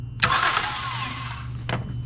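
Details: 2008 Ford Edge AWD with no-crank, no-start: with the starter fed directly by a wire from the fuse box, a short whirring spin-up fades over a steady low hum. The starter cranks normally, so the relay and its PCM and ignition circuits are checked next.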